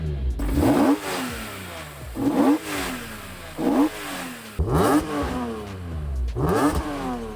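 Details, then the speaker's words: BMW M3 E46, long-stored with the check engine light on, blipped from idle five times: each rev rises fast and falls back smoothly with a crisp, even, brutal exhaust note; the engine revs freely. "Un son brutal. Cela ne me surprend pas du tout qu'il soit déjà allumé."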